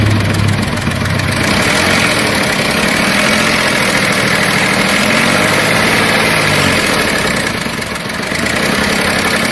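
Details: Volkswagen Polo 7 engine at idle. A harsh, gritty noise with an uneven pulse rides on top; abnormal engine noise, cause not identified.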